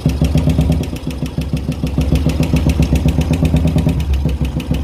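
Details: Royal Enfield Classic engine after oil reached the head, at idle and revving: fast steady tick about four per second, noise somewhat reduced; worn hydraulic tappets from running without oil, likely need replacing.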